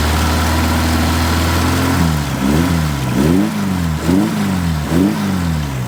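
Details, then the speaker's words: Stored hot-rod Ford Model A coupe, very tired engine, oil pressure about 20 psi. Blipped revs drop back with a loose rattle on each throttle release; loose alternator, flopping belt and loose motor mount found. "it's like a rattle right when you get off"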